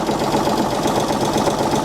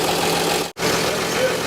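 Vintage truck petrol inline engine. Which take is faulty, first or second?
first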